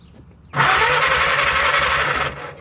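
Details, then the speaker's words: 1937 Willys flathead four-cylinder generator engine, sat outdoors 15–25 years: steady starter churn about two seconds with no firing; no spark, points cleaned and tested fine, cause found to be a loose coil wire. "Still no fire. Well, let me get the meter out and make sure I'm getting 12 volts up here."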